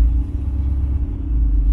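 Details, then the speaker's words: 1967 Camaro V8 after ACES Killshot EFI install, 180° coolant, 13 volts, IAC dropping from 20 to 13, AFR about 13.5; deep rumbling idle swells and sags, hunting before it settles, which the owner says this engine has always done; idle hunting. "but this engine's always done that it always seems to want to hunt until it stabilizes"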